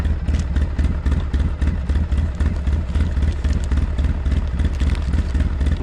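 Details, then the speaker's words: 2007 Polaris Sportsman 700 ATV after a muffler change: steady low thumping idle at about four pulses a second, even and subdued, no knocks or rattles; very quiet, normal idle. "Let's check her out. Holy jumping, I can't even hear it. It's so quiet."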